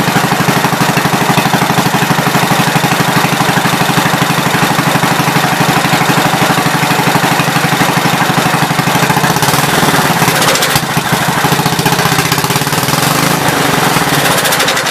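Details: 1970 Gravely Commercial 8 single-cylinder after years sitting, after adding washer under recoil bolt that was hitting: even thump at steady pace with no metallic strike; runs clean and settled.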